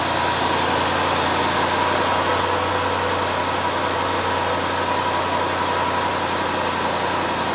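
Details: Low-mileage 2011 Range Rover L322 Supercharged, 5.0L AJ133 V8 with about 28,200 miles, healthy steady idle with light fast direct-injector ticking; no timing chain tensioner rattle or supercharger coupler noise.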